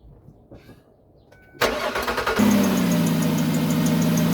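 The engine cranks and catches, then a loud steady high-pitched squeal starts and settles slightly lower as the idle drops, a slipping drive belt. Cause suspected, not confirmed.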